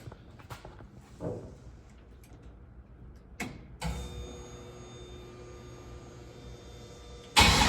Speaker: listen there's a fan so it's kind of hard to hear it's alive